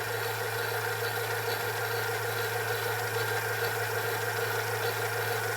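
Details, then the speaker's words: Sylvania DV220SL8 DVD/VCR combo after mode switch repair, tested before reassembly: smooth, even motor hum with steady whir and no clicks, scraping or speed wobble; tape fast-forwarding normally. "yeah and that's normal sound this is how these machines sound"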